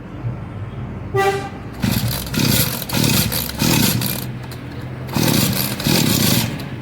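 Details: Two-stroke agricultural power sprayer engine after an oil seal replacement and starter recoil tightening, primed with a little petrol: it catches with a short squeal, then revs in strong bursts with no misses, running normally.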